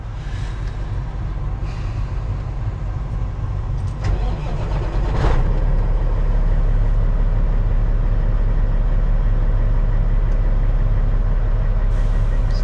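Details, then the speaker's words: CAT C15 diesel truck being chased for an idle shake and miss at certain rpm, injector wiring harness suspected; deep, steady rumble settling to a very smooth idle, slight movement still showing; normal diesel idle. "a very smooth idle I got a little bit of movement on the shako meter 5000 over here but we"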